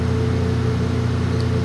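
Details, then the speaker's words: ILG Industries Panel Mount 163 fan, 2-speed GE split-phase motor on high speed (4-pole winding, close to 1725 rpm): smooth constant low hum, steady tone, no wobble or ticking; much higher output, moves a ton of air. Normal. "This is going to be the 4-pole winding, and we're going to be running it close to 1725. Still pretty smooth, but definitely has a lot higher output. Moves a ton of air."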